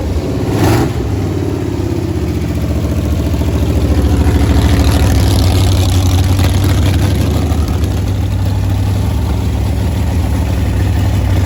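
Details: Freshly built Chrysler 400 V8 for a 1972 Roadrunner, first start on an engine run stand: starts and settles into an even rumbling idle with a brief rev midway, no knocks or misfires; starter still not quite right.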